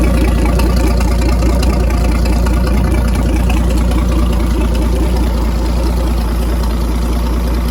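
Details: 1959 Graymarine 109 marine engine from a 1959 19' Lyman, after a complete overhaul, oil-pressure priming, timing set and carburetor adjusted: deep, even idle with a steady low pulse around two beats a second, no knocks or misses; normal healthy idle.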